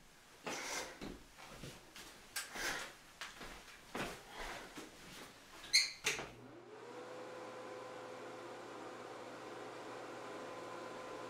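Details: Bathroom ceiling exhaust fan replaced after the old one seized, test run after snapping the new fan and cover in: after handling knocks, a smooth, even hum with a steady tone holds; fan running normally.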